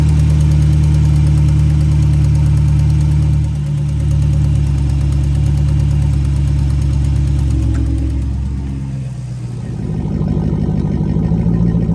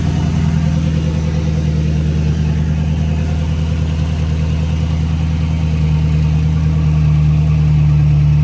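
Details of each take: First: 5.7 Hemi (Dodge Charger/Chrysler 300) at idle and revved: fast ticking puff over the rumble that quickens with revs; warped exhaust manifold still leaking despite new gasket and tightened bolts, to be resurfaced. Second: 5.7 Hemi V8 Dodge Charger/Chrysler 300 after resurfacing the warped passenger-side exhaust manifold and replacing the gasket and broken bolts: deep, steady idle with even low burble, no ticking or puffing; exhaust sealed, normal idle.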